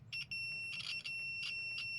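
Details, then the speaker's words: Lister Liberty battery horse clippers during battery pack replacement: meter continuity beep cuts in and out as a wire is flexed; only a few strands left, likely broken through, so the wire will be replaced and resoldered. "and then it's cutting out see so it's never a good sign if a wire does that I think we're gonna have to replace this wire"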